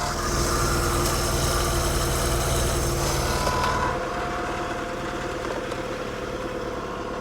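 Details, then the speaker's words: Old Mercruiser inline six sterndrive (1976 120hp or 1973 165hp) during winterizing, on a water hose: catches straight away, settles into a steady, even idle; healthy start. "I tell you I like the sound of that old inline six"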